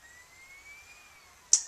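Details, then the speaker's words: Dell XPS laptop after replacing a broken slot-loading CD-ROM drive: a thin, high motor whine drifting slightly in pitch, then two sharp clicks as the disc seats; the disc loads normally. "Sounds like it's gonna work. Hey, alright. There it is. There's our CD pop-up."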